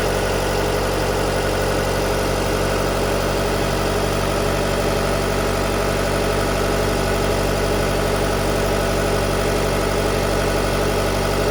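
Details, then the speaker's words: 2019 Jeep Cherokee 2.4 MultiAir with an LPG conversion, which had been stalling on gas with jumping idle revs, now set to run on petrol at about 1000 rpm idle. Steady, even idle hum with no hunting or dips; engine settled and running clean. "Ну і коли на холостому мигає от газу даєш загорається до 1000 обороту виставлено на холостому працює на бензині"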